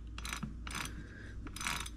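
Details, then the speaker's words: BBSHD 1000W mid-drive e-bike motor, about 2.5–3 years and 10,000+ miles without internal maintenance, spun by hand with crank arms and chain removed: uneven gritty ratcheting and dry rough drag, feels very rough; dirty, rusty motor bearings. "And it is just, it's not moving very good. Like, it feels really rough. Listen to that. Feels really rough."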